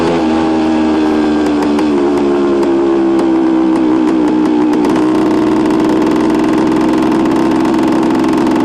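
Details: 1973 Suzuki TS250 two-stroke being ridden after a rebuild, its first ride with no bugs or major issues. Smooth, steady buzz rising cleanly as the revs climb, no knocks or misfires; the engine runs healthy.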